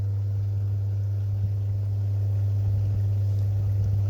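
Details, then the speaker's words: Rimini two-speed hot tub pump, about 8 years old, after new impeller and seals, weak circulation: steady low hum as pump motor cuts in on its own at one speed, then off; cause unknown. "um and then it'll go off again it's like got a mind of its own there it's gone off now you can hear that"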